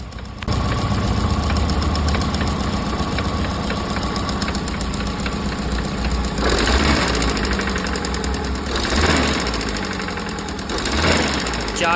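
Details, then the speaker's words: Engine idle noise that grows with throttle: steady deep knock getting louder and quicker as revs rise, oil light flickering at idle; cylinder 1 connecting rod bearing found loose after removing the oil pan. "油的过程当中呢，异响会增大，怀疑是连杆响。"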